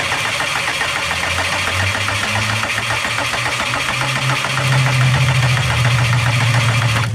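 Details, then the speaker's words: Subaru no-start after fitting brand-new spark plugs, testing the coils and reverting to the original settings it once ran on: even starter cranking at about three and a half turns a second with a brief surge near the end, but it never catches. "Well, I'm definitely not happy. Um, it's not starting, obviously, as you can see."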